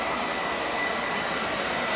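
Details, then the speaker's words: Beckett oil burner that tripped its reset button every day or so, after service with new nozzle, brushed boiler, pump coupling, good oil flow, spark and draft: even, steady rushing roar with no surging, puffing or rumble; normal firing. "we're getting a good oil flow so I felt this should be fine"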